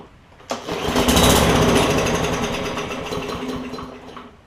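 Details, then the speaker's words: Craftsman M100 push mower that won't start: fuel comes out in the air filter housing, not through the carb jet. On primer or starting fluid it catches with a rough chatter, tries to speed up, then dies; fuel delivery issue. "But I'll tilt it, and I'll show you that it will at least run on start, or either when you put starting fluid in, or run when you prime the primer bulb."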